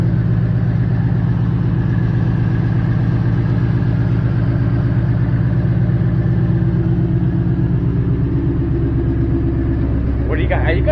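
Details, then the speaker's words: Ford with a new Coyote V8, just back from the dealership after the engine replacement, idling with the clutch pushed in: deep, even burble with no misses, ticks or knocks. Temperature stayed normal on the 50-mile drive home; normal idle. "push the clutch in and she sounds like a beast"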